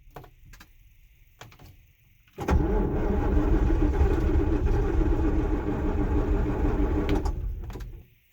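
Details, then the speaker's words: John Deere 6620 sidehill combine diesel, not started in about a year, in neutral, ether given: uneven firing bursts for about five seconds, partly catching but not running on its own. Hard starting. "Oh, I probably let go too quick. Probably going to just crank it for a bit and see what happens. Give it a little bit of ether."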